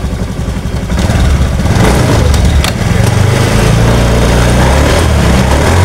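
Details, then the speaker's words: Honda Scoopy ESP after repair, idling then revved: a low, steady engine drone that rises smoothly and settles back with no whining or knocking, different from before the repair. Normal running. "Oke seperti yang kita dengar sama-sama untuk suaranya di sini sudah ada perubahan ataupun sudah berbeda dengan di awal sebelum kita tangani"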